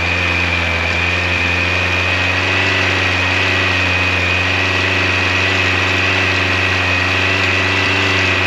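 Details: 1986 Yamaha FJ1200 four-cylinder with carburetors, first start in years, cold with choke full on. Smooth, steady idle with a constant high hum and no knocks or rattles. Engine sounds healthy.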